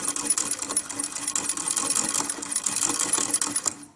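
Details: 1920s Pathescope home cine projector, hand-cranked, original shutter/flywheel: light, quick, even clatter and whirr that runs smoothly then stops cleanly — normal mechanism running.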